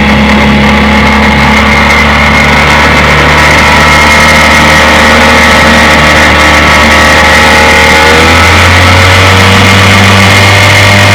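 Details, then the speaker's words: 1958 Evinrude 5.5 hp outboard, restored after Katrina flooding with replaced power head, carburetor and gear case, warm start on a john boat test run: steady, even two-stroke buzz, slight speed increase near the end; runs smoothly, healthy. "She runs beautiful. Let's give her a test run this morning."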